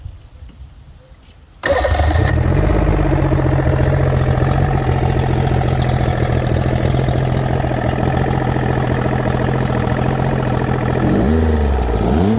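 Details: 90 hp Chrysler outboard on a late-80s/early-90s Glastron bass boat after long storage, water supplied: starts abruptly, settles to a fairly steady idle with a brief rev; runs, owner thinks the carburetor may need doing.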